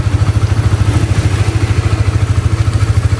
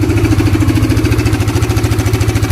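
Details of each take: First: Honda CBR (new model) after the cam chain tensioner was replaced to cure a ticking noise. Even exhaust pulses at about two hundred a minute, no clatter on top, so it idles smoothly and sounds healthy. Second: Honda CBR (new) motorcycle idling with a rough, busy rattle over pulsing exhaust that returns when revved after adjusting the cam chain tensioner; failing tensioner to be removed.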